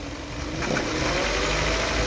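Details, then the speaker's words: Hyundai Veloster, noise from the engine area when pulling away on a hill, only at low rpm between idle and mid revs, gone as revs rise: faint steady whine over the engine rising with speed. "É só no começo, na arrancada que ele dá, ó. Quando sobe a rotação, ele some. Ele faz e para."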